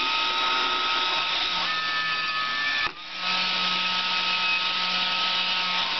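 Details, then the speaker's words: Salvaged hair-dryer motor and fan from a dead dryer, rewired to a 12 V car lighter cord and used to stoke a fire: a steady, even whirring hum with a brief dip midway, then the same smooth tone resumes. Finding: normal fan running. "You could probably use this to stoke a campfire or something. It does work very well."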